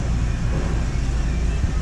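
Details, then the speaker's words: 2006 Ford Transit 2.3 with low-power complaint, short-term fuel trim about -20% running rich; deep, uneven, choked low rumble at idle with level lurching, running rough; restricted exhaust. "let's have a look at what can cause that let's go back to idle running like absolute crap"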